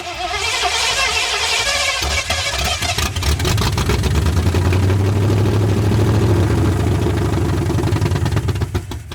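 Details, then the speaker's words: 1981 Ford Mustang 5.0 V8, carbureted, parked since 1996: the starter churns with uneven firing but the engine never catches, starved of fuel. The mechanical fuel pump diaphragm had dried out; it was later replaced with an electric pump. "I determined the fuel pump was shot because it wasn't pulling fuel. Yeah, it's also been parked since '96, so diaphragms inside there dry out, don't want to work."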